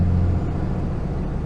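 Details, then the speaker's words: 2007 Ram 2500 5.9 Cummins, G56 six-speed, after South Bend dual-disk clutch replacing dual-mass flywheel: low steady growl cruising at low rpm in fifth gear, likely gear backlash; higher rpm reduces it. "one of the things I noticed that I didn't have before was a little growl in fifth gear, and you can hear it's probably the backlash between the teeth that the dual mass flywheel helped to eliminate."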